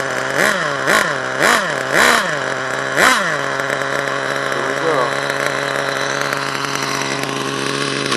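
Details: HPI Savage nitro truck, HPI 4.1 engine: blips sharply about once a second then holds a steady high buzz, revving freely as if drive is not taking up; owner suspects the gear, not confirmed.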